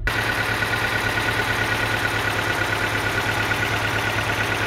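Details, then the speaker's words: 2007 Mini One 1.4 petrol, six-speed, at idle: lumpy, uneven idle stumbling about three times a second, warning light flashes on revving; misfire, cause not yet found. "so as you can see and here it just sounds a little bit lumpy and give it a bit of a REV the light flashes"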